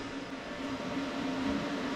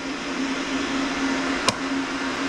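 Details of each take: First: Oil burner blower motor with wheel reinstalled and set screw tightened, spun by hand after gap-setting tool removed; soft steady whir, faint even hum, no scraping or metal rubbing; blower wheel spinning freely. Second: Relay click, then a steady low hum with no spin-up from a bad boiler burner blower motor. The burner calls for heat, finds no flame and trips out to a 45-second lockout on the controller.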